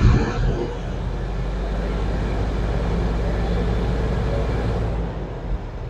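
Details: 1969 C60 truck warming up with choke pushed in halfway: deep, lumpy, uneven idle because the cylinder 1 plug wire is off and sparking onto the windshield; misfire, dead cylinder.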